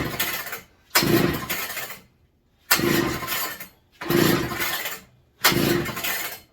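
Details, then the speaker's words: McCulloch MC49 two-stroke, during rebuild, fitted with a substitute 090 carburetor: four short cranking bursts that never catch; owner suspects flooding, later thinks ignition related; hard starting. "you acting like she's kind of flooded reset gotta figure out what's going on here"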